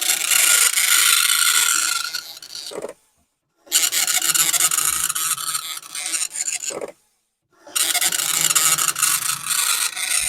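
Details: Commodore 1525 dot matrix printer for the Vic-20/C64, never tested before, in self-test mode: rapid raspy buzzing print passes of about 3 s separated by short silent pauses; normal printing.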